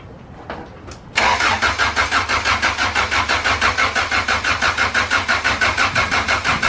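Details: Freshly swapped B20v turbo engine, oil being primed: starter cranks steadily at about three beats a second but it never fires; no power reaching the ECU, owner suspects wiring harness, will order new tucked harness.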